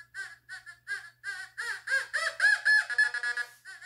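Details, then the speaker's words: Fisher F44 metal detector air test in All Metal mode on a 1940s baby spoon: warbling tone near 2 kHz pulsing about four times a second, steadier as the spoon nears, response starting around 12 inches; normal target tone. "now we got the spoon from the 40s that i found in my yard it's a baby spoon let's go it goes further you can hear it start to do something at about 12."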